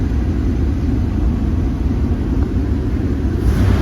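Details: Jeep WJ 4.0 six, formerly shaking with code P0351, after new coil and spark plugs: steady, even low rumble at idle with no stumble or shake; normal idle.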